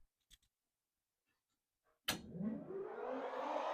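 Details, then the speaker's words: Electric cooling fan on a Ford Fairmont with an LS swap, newly installed with the radiator and just wired up; a switch click, then a smooth rising whoosh as it spins up with no rubbing or ticking, blowing the correct direction; normal fan running. "All right. Well, sounds like the fan's on. Boom. We are spinning."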